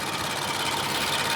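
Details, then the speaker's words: 2018 Infiniti Q60S engine idling with fast, even, sharp ticking, which is normal timing chain and/or direct injector noise, loud on this engine. "the ticking noise that you hear that's generally the timing chains and or the direct injectors because they are pretty loud on these engines"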